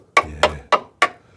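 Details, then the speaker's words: 2000 Rover 75 Club, 1.8 K-series, tap test on crusty sill: four sharp taps ringing clearly and decaying cleanly rather than dull; the sill metal under the crust is solid, not rotten. "dull yeah but it's not can you see that yeah yeah yeah I can hear the difference solid dead yeah"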